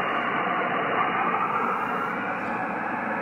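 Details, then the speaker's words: Amateur radio receiving a local 10-meter contact on the inverted-L antenna: steady hiss with whistling noise filling the audio without moving the S-meter; switching to the loop-on-ground antenna attenuates this noise while signal stays unchanged. "see it's not even moving the s meter but look at the noise so that's with the loop on or my inverted l look at the whistling that noise"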